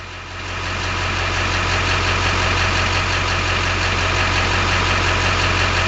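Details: LB7 diesel idling with a hard, slightly uneven clatter about three knocks a second; owner suspects failing injectors, worst balance rate 3.2, rail pressure about 5500 at idle; rough idle, unconfirmed.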